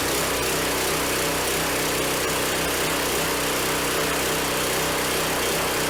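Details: Replacement small engine on a Harbor Freight hydraulic log splitter (original killed by flood water), first start after fresh oil and a little gas: steady, even buzz with no misses, knocks or rattles; running fine.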